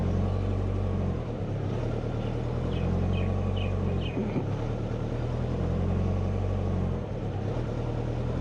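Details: Subaru Forester (Haltech-tuned): with O2 closed-loop control turned back on, idle keeps swelling and sagging every few seconds and never settles; O2 control PID settings overcorrecting, later reduced to settle idle.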